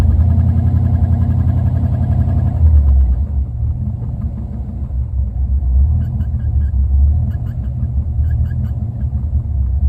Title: Rough idle